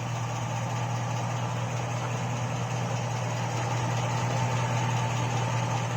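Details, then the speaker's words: Hot 5.3 LS V8 in a 2002 Chevy Avalanche at idle, 5W-30 synthetic oil; steady hum with a faint light tick about three per second from stock GM hydraulic lifters, third set in two years, louder as oil heats and thins. "got in there three different kinds of lifters now and that's when they get their noisiest the hotter it gets the hotter the oil gets the thinner the oil gets the more you hear them"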